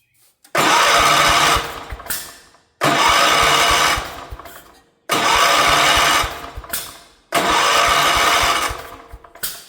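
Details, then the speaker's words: 1977 Wheel Horse B-100 single-cylinder, rebuilt carb, new fuel pump, spark and fuel present: four cranking bursts about a second each, never catches; cranks, no start, later found 180 degrees out of time. "Old fuel pump was just complete trash, so I did away with it. Try the new one. Not interested."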